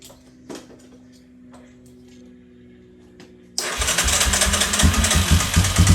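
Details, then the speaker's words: 2003 Yamaha Wolverine quad after a pinched carb gasket leak, carb nearly dry: quiet clicks, then loud uneven starter churning, engine cranks but won't catch. Owner first thought it was out of gas; later found it won't run without a battery completing the circuit. "Have not changed a single thing. Now it won't even run."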